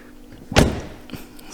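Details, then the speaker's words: Mk5 VW Golf GTI after a front-end collision: the door swings with a heavy thunk and a scraping catch, then lighter knocks. The wing was pushed back into the door and was pulled out and adjusted so the car could still be used, but it still catches. "this wing actually pushed back into the door so you can see we had to adjust it so she could use it but the door has been catching you can hear it there"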